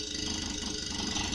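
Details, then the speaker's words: Samsung fridge; foam had got into the unit and may have caused the earlier noise. The motor now runs quietly, a low even hum with a soft airy whir and no knocking or rattle: normal compressor running. "ну на даний момент мотор як бачимо працює доволі Тихо"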